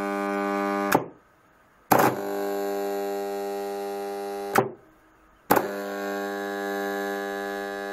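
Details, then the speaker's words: PME-211 magnetic starter with 110 V coil, fed about 100 V: a loud, rich buzzing hum whenever energised, silent when released. Suspected poor seating of the magnetic core; the gap between middle cores should be 0.2–0.25 mm. "это происходит из-за того что здесь вот магнитный сердечник он плохо соединяется"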